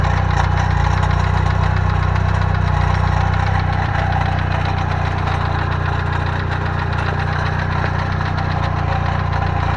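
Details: Heavy low rattle and knock running steadily through idle, metallic chatter from the bellhousing area; owner first feared rod bearings, but the Fidanza flywheel starter ring was loose.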